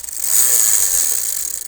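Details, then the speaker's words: Bicycle held up and pedaled: fast dry clicking and ratcheting from the drivetrain as the cranks turn. The chain knocks while moving; an oil smell of unknown source is noted, and a new tensioner was bought. Cause not confirmed. "Чука малко ригата. Чука като се движа. Чувате ли трака?"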